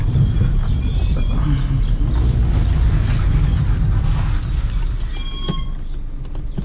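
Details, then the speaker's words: Chevrolet Lacetti automatic rolling slowly after all pads and discs were replaced. A thin, steady, harsh squeal rides over the road rumble, changing with speed and only sometimes with the brake. A stone is trapped between the disc and the dust shield. "вот машина издает вот такие вот звуки очень очень серьезная вот щас придавливаю немного на тормоз звук то меняется то не меняется все зависит от скорости движения"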